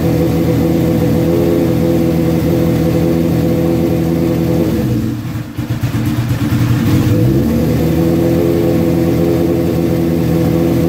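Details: Suzuki GS1100E with Mr. Turbo, first start in decades after chain, brakes and tank work, starter fluid and a little choke; strong steady four-cylinder run, clean blip, no misses or knocks; jetting still to be set on dyno.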